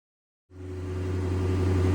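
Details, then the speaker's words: First start of a flood-damaged 2007 Chrysler SRT8 that previously would not run, after cleaning the terminals and fitting a new part. It catches at once and settles into a steady, even idle with no misses or knocks; it sounds good. "I don't know what he just did. I was laying under the ground trying to listen for it. It started."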